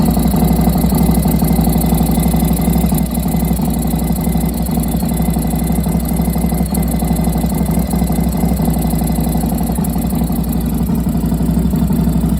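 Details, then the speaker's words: 1993 Harley-Davidson FXRS Convertible V-twin after spark plug shot out; temporary fix of stripped plug threads. Loping idle with a faint puff or tick each firing pulse, compression escaping at the plug threads; ridden over 30 miles home on the fix. "You can hear that there was a little leakage, but I got home and I drove over 30 miles with this temporary repair."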